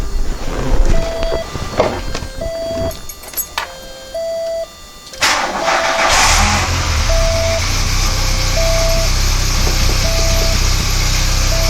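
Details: 1993 VW Cabriolet first start after new clutch and transmission reinstall; door chime beeps, brief crank, catches around six seconds, smooth even idle.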